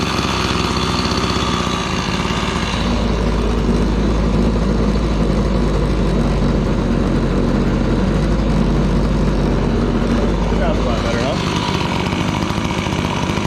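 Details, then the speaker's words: Gas-powered Razor dune buggy small two-stroke (LH cylinder) at idle after repair: steady, even ticking idle with clean rhythm, no misses or rattles; muffler sounds good, running much cooler, lots of airflow. "Muffler sounds pretty good. It's a lot cooler now. That's quite a bit of air moving around this thing just at idle."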